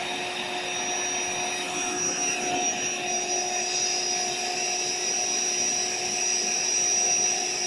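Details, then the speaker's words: AeroBed Deluxe Raised double air bed's built-in electric pump running: steady, even motor whine with constant airy rush, no rattles; pump and deflator work normally, though the bed has a suspected pinhole leak somewhere near the bottom. "So basically the pump works and the deflator works which is just here."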